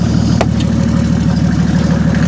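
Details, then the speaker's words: Mercedes OM606 turbo diesel on a Baldur DSL1 ECU with EDC injection pump, just started: loud regular clatter over a low steady idle; quite knocky, owner suspects air still in the fuel lines. "is quite knocky, but I think that's because there's still air in the lines here, and hopefully that'll sort of come out of it."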